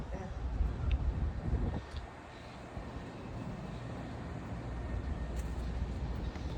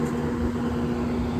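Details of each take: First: Trane Precedent rooftop unit EBM blower motor with worn bearings and visible shaft slop: heavy, uneven low rumble with a faint steady whine; motor was replaced. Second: Steady, even blower hum with no grinding, rattling or bearing noise from a newly fitted EBM blower motor in a 7.5-ton Trane Precedent, replaced for bad bearings; set at 4.75 V DC, about 1044 rpm, 0.9 in static pressure, about 2700 CFM.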